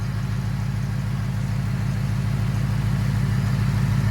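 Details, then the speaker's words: 2024 Mustang S650, idle after first oil change at about 4,400 miles with Motorcraft 5W-50: smooth, even low idle, no valve tick; light regular high-pressure fuel pump clicking underneath is normal. "as you can see this thing is toning down now no tick I don't know if you can hear it but there is no tick no tick at all"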